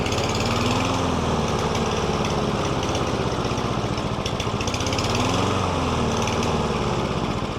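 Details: Lawn mower that had surged, hunted and stalled, run after STABIL Fast Fix and STABIL Start Your Engines additives with no carburetor work: a steady, even run with no hunting or surging, sounding healthy again.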